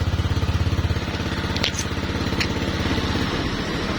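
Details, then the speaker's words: Older Honda Vario 125 injection scooter that would not electric-start although the fuel pump hummed: with a jumper to the ignition-switch output, the starter gives a quick run of even pulses and the engine catches to a steady idle; black ignition-switch wire suspected. "Terus kita cek starter. Nah, dia mau hidup, Guys."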